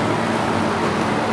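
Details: Newly installed Master Flow 1450 CFM gable-mount attic fan (EGV5) drawing 1.16 amps, about 76 dB: steady even whoosh of air with constant low hum, no knocks or rattles; fan healthy.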